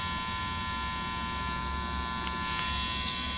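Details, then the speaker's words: Guitar amp that worked fine before a move, now in a new apartment on any outlet and any preset. Steady buzzing hum with a bright whine that never changes. Mains hum; owner suspects the apartment wiring, since the amp was fine at the old apartment. "Hey y' so uh my amp was working fine I had no complaints whatsoever before I moved and now in my new apartment no matter where I put the amp what room what Outlet I use I get noise like this hear"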